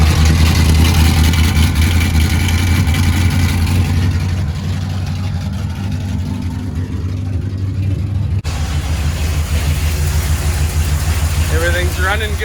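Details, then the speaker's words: 1977 Dodge D200, freshly rebuilt 360 V8 with RV cam, long-tube headers, first start without mufflers; loud deep rumble catches and settles into a steady, lumpy open-pipe idle, no knocks or ticks; running good, loud underneath: normal start and idle. "running good up here. It is loud under here."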